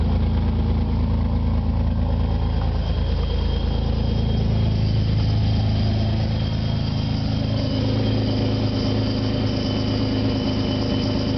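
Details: 1997 supercharged Nissan Maxima idling: raspy, puffing exhaust note with a thin whistle creeping in later; exhaust leak developed after the catalytic converter.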